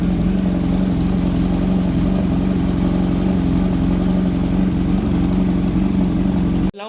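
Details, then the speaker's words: Kawasaki Z900 cold start after long sitting: fast, loud ticking over a strong idle drone, from the front of the engine, also heard while riding; owner suspects a leaking header gasket, not confirmed. "guess you are able to you know understand how the bike is is making that ticking noise and um you know it's it's it's it's literally loud okay it's literally loud"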